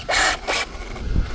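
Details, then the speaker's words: Traxxas Slash 4x4 VXL on 3S, cheap AliExpress tires, while bashing: short raspy whirring bursts on throttle, motor spinning up without driving hard; loose slipper clutch slipping. "again sounds like an issue. Here we go. Let's just check cuz that doesn't sound good. That doesn't sound good at all. [Applause] Right, that's slipper guys."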